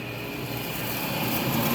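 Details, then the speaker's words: Multi Chef oven blower motor after repair, powered up on test load: continuous steady rushing air, no scraping or rattle; the fan spins freely, working normally. "now we're working we brought it back to life we'll put her on high all right so we know that it's working"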